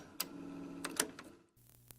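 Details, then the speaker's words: Nearly 50-year-old Harman Kardon CAD-4 cassette deck, running again after a backwards-installed power-supply capacitor was corrected: sharp clicks about once a second during playback, sometimes prominent, sometimes gone, from an unresolved motor issue; the deck also has motor static and speed instability. "Hear that click, click, click? Yeah, that's a motor issue that I have to resolve yet. And that plays through the entire tape."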